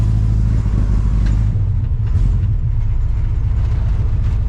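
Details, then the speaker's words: 1975 Chevy C10 454 big-block V8, carbureted, B&M floor shifter: deep, uneven, lumpy rumble; runs rough. Owner blames the carburetor, which needs cleaning again. Later cleaning found sand in it, and the spark plugs were replaced. "Boy, it runs like crap right now, guys. Carburetor needs to be cleaned again."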